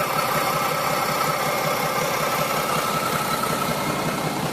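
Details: Mack E7 diesel dump truck after a new injector was fitted: uneven, lumpy idle about three beats a second, audibly changing when one cylinder starts missing; air seen in the fuel at one injector, cause unknown.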